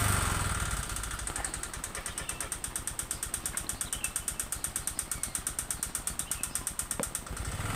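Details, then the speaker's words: Honda Vario 125 injection (K59), never serviced and oil never checked: rough uneven ticking clatter at idle with white exhaust smoke, mistaken for CVT noise; poor radiator circulation and coolant loss, engine internals suspected. "suara kasar pada mesin diiringi dengan keluarnya asap putih mungkin dikiranya dari bagian CVT"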